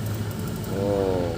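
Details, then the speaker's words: Automatic gas deck oven with the blower opened too wide: low steady rumble with a rising hollow roar over it; too much blower air makes the burner roar and the flame will go out, so set it around 1.5–2. "Misalkan kalau kita ditambah lebih besar ininya, ini blowernya ditambah besar, misalkan segini nih, dia akan bunyi gitu."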